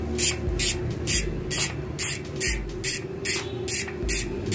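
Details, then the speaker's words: Freshly reassembled Swordhub bicycle freehub, pawls and springs just reinstalled, not yet greased: crisp high-pitched ratchet buzz in even bursts about twice a second as the wheel spins; healthy dry freehub pawl sound, normal. "Pero kung gusto niyo talaga maingay ito, palit kayo ng spring. Kaya lang mabilis masira yan, ha?"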